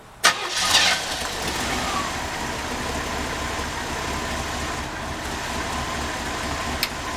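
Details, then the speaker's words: Carbureted Chevrolet V8 in a motorhome, started during a transmission fluid flush with a line draining into a bucket: quick crank, clean catch, then a steady, even idle with no misses, knocks or ticks; healthy. "we're going to start up the best running carbureted Chevrolet v8 in America"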